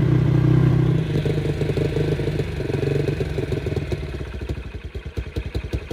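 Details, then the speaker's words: Kawasaki Brute Force 300 ATV after carburetor cleaning, which had been hard to start and would not idle: catches on choke and revs, then settles into an even thump about three beats a second with choke off; carb may need slight adjustment. "is off it's idling but I could probably adjust that carburetor a little bit"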